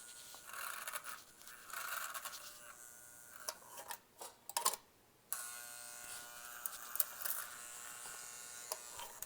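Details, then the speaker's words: Vintage Lionel locomotive motor on test: quiet uneven electric buzz with brief cut-outs, barely turning over; owner suspects a jammed E-unit (reversing unit), possibly blown coils; struggling motor. "Wow certainly not the healthiest Sammy was right have any unit doesn't sound good that's trying I think it's got a jammed up unit there"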